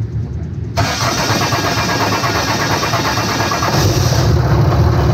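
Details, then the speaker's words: 5.9 Cummins diesel just fitted with FLUX 100% injectors, Smeding S472 turbo, rough tune: starter whirs and it fires at once, settling into an even clattery idle with steady rumble; runs fine. "sound good thoughts sounds like a motor sounds like an engine good deal yes it does"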